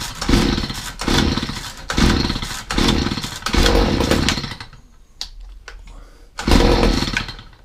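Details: Stihl HS45 two-stroke hedge trimmer, reported hard to start, primed and choked: fires after a few pulls and revs in steady crisp bursts; runs fine, hard starting thought due to spark plug half hanging out.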